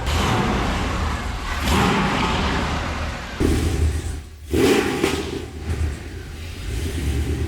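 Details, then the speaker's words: 1965 Lincoln Continental with a swapped 7.3L Godzilla V8, Holley Terminator ECU, Cerakoted headers and trunk-mounted exhaust, at first fire-up: deep burble climbs smoothly with each throttle blip and settles evenly. Sounds healthy, not too loud. "sounds good doesn't sound too loud can you give it a little Revy rev Rev"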